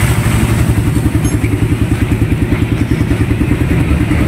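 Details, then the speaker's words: Raider 150 motorcycle, heard at exhaust: rough pulsing thumps and uneven rapid backfire popping, RPM cutting out, no pulling power; mechanic notes CDI converted to a Wave 125 4-pin unit, cause being checked. "oh dalag sabi naputol parang napuputol yung RPM niya Ah kaya ko napansin una kong na-check wala ng RPM"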